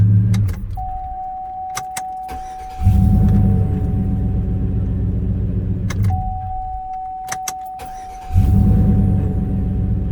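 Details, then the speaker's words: 2003-09 Chevy Trailblazer 5.3L V8, first start after replacing a starter that cranked weakly with a whine: key-on chime, then a quick, smooth crank and the engine catches and idles, done twice, with no whine; normal cranking and start. "That's it. That's a very smooth cranking. None of that whining."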